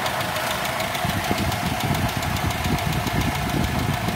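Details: Toyota Kijang 5K engine: light, fast, even ticking over a steady idle, following engine speed; valve clearance needs adjusting.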